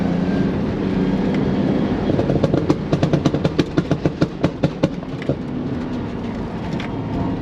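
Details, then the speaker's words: Chevy S10 4.3 Vortec V6 under load on an autocross run: loud, uneven pops and bangs, roughly three a second; misfire and backfire because the distributor top plate failed and slipped, and the distributor was replaced. "where this thing actually put the nail in the coffin um and listen close cuz you're going to hear a whole lot of popping"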